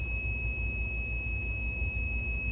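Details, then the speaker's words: Optoma HD28DSE DLP projector whose colour wheel index mark came off: constant high whine with a low buzzing rumble and chirping as the wheel motor fails to lock. Colour wheel not synchronising. "that color wheel's chirping all over the place though it's either the wheels bad or maybe the wire got bent or cracked or something because it kind of sounds like not all the coils are being fired"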